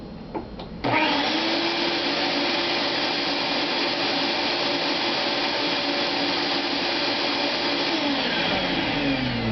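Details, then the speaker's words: Shop-Vac vacuum drawing 12 amps: motor spins up with a quick rising whine, then a smooth steady airy roar with no rattles; normal running, surprisingly quiet. "there. It's not It's surprisingly not loud. Um, it does draw 12 amps."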